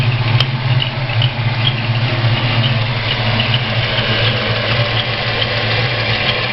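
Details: Ford 302 V8 idling: faint high chirp in time with the engine from cylinder 1; gone with both rockers removed, returns with exhaust rocker installed; owner suspects a bad roller, not confirmed.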